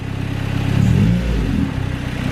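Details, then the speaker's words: B18C1 turbo Honda CR-V with custom exhaust, warming up, Y-pipe not hooked up. Deep, raspy, open exhaust rumble swells with revs then settles; engine noise louder than the muffler. Loud exhaust from the disconnected Y-pipe. "Oh, your Y pipe's not hooked up, huh? Darn it. Sounds good. The motor's louder."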